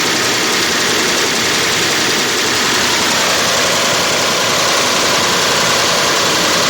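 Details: 2005 Range Rover with BMW V8 engine: loud metallic timing chain rattle, two to three beats a second, with timing fault code; VANOS, chain and tensioners replaced without cure; cause was clogged check valves starving VANOS of oil.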